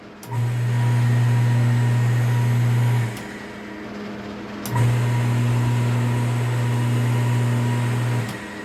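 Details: Half-horsepower peripheral household water pump after repair: runs twice for about three seconds each, smooth steady low hum, no grinding or rattle; running normally after repair.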